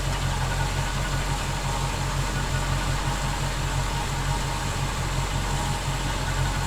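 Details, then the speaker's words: 1971 Chevy C10 pickup project truck idling while the charging system is checked (14.6 V, battery slightly low); steady even low rumble with no knocks or misses, smooth healthy idle after an earlier whistling noise. "I'll fire it up one more time make sure we're still golden"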